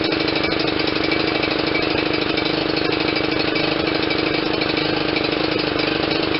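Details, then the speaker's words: John Deere LT160 with Kohler CV460S single-cylinder 460cc engine, right after the aftermarket carburetor swap, at a steady but slightly lumpy idle with occasional soft stumbles. It is still over-fueling (running rich) because the choke was stuck. "sharp eared viewers will hear that it was definitely still over fueling and I says what in the world is going on well this is your choke it was stuck the way I had had fished it it was stuck on something"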